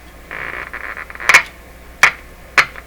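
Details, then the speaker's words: 1941 Electrohome Serenader 9A62-S two-band tube radio under voltage testing on the bench: three sharp pops about half a second apart over faint hiss; intermittent crackling, cause not yet found. "Oh, wow, what's going on there? I'm not sure what to make of that oddball thing there."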